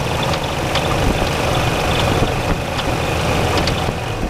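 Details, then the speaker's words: Classic Chevy C10 that sat about 5 years and was parked by the previous owner over engine knocking, just started and not very warm: rough idle with scattered sharp taps deep in the block. Lower-end knock, source unclear. "I hear something down in there I don't know what that is doesn't sound good"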